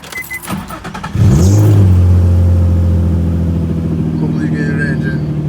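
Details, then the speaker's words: Nissan 350Z VQ35DE V6 after replacing the cylinder 3 spark plug and coil pack and clearing the misfire code: cranks, catches and settles into a steady, even idle, smoother, no stumble. "So, changing out the spark plug and this coal pack on cylinder 3. Solved the misfire issue. Now the car is running fine."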